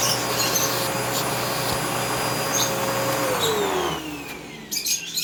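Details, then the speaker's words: Homemade vacuum engine running the stock valve: fast light chuffing about 200 per minute, then a falling tone as it slows and quits; the valve blew off, so rotating the piston does nothing until reconnected. "As you can tell, it blew up already. See? I'm rotating the piston and nothing's happening, so I have to push it down and reconnect it."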